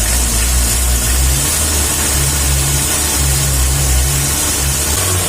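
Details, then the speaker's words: Diesel after retuning a weak fuel pump with injection timing set to maximum: revs up and holds full throttle with a smooth even note, no rattle or knock; setting is fine. "Ya, tidak apa-apa seperti itu."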